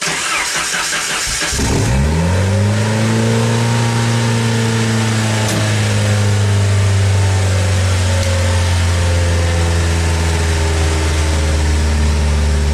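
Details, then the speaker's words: Jeep 2.5 right after a fuel pump replacement. A quick crank, then the engine holds a raised, steady idle that settles only slightly. Idle is high; the owner suspects the malfunctioning throttle idle motor. "time to lean a little bit high just because the little motor by the throttle [Music] it's malfunctioning it should go down in a second"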